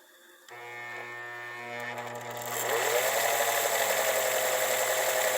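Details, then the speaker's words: 1955 Husqvarna Viking Type 21 sewing machine, original closed-case motor, after motor optimizing and servicing: soft even hum swelling into a quicker steady whir, no knocking or grinding; motor runs freely and strongly. "let's hear what this close case original husqvarna motor sounds like after this motor has been optimized"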